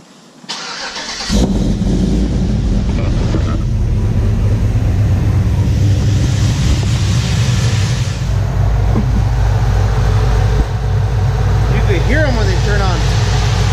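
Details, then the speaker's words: 1993 OBS truck with an LS swap, engine idling, after cheap fans on the DNA radiator were replaced with made-in-USA high-performance electric fans wired on relays: a strong, even rush of air holding steady without rattles; the fans run normally with strong power. "So here's the cool part. Look how much power these things have."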